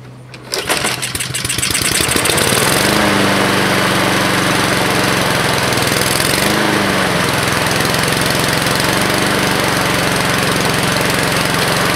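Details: 2014 Husqvarna HU700F self-propelled mower, Honda GCV160 engine, fresh gas in previously empty tank, no carb clean: catches after a couple pulls, settles into steady even run, no misses or knocks; healthy.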